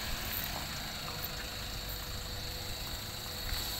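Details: Toyota Avanza after fuel tank work on a no-start: quiet, even idle with a steady low hum and no knocks or misses; engine now running normally.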